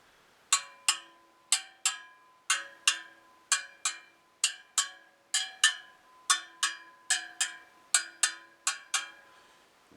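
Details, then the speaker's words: Royal Enfield Bullet 500 rear wheel rebuilt with stainless spokes and a flanged alloy rim, side runout under 0.25 mm. About twenty crisp taps each ring the same clear bell-like note; all spokes tight, wheel true, even spoke tension. "the wheel was getting away from me a bit there but i managed to tap all of them so all the spokes are tight the wheel is true"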